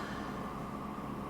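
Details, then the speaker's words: Inverter 5006 paraffin (kerosene) workshop heater, 3.2 kW, owned about 15 years, after servicing: after the flame goes out, the fan runs a minute or two to cool the unit, an even steady whoosh and hum with no rattle; normal. "And as you can hear, the fan has come on, and that'll run for a minute or two just to blow cool air through the unit to cool it down."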